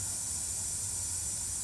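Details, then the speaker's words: 2014 Chevrolet Traverse 3.6L no-start, engine pulled, leak-down test on a pressurised cylinder with the engine off: steady high-pitched hiss of air escaping past intake valves, reading almost in the red. Leaking intake valves. "my intake valves are leaking. My intake valves are leaking, so I'm a little past."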